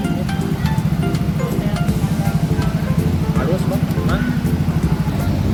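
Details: Yamaha Mio Soul GT scooter that overcharged the battery to 15V with error code 46, traced to a faulty regulator rectifier. Tested on a temporarily fitted spare regulator with the code cleared, small revs rise and drop cleanly with no stumble; smooth revving.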